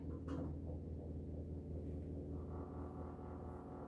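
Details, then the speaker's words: LG washer in diagnosis mode after replacing the failed drain pump motor (4681EA2001T): low, even hum with a steady drum turn, then fast spin, and no more grinding. Normal pump and spin operation. "that's what i want to hear no more grinding oh now we're going to fast mode perfect"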